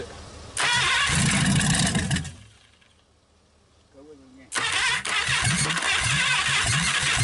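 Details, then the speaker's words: 1956 Packard 374, formerly stuck, first run in years, burning off oil: fires, runs briefly, stops, restarts and settles into steady even beat, no knocking or valve clatter; normal running. "okay she runs she's burning some all off"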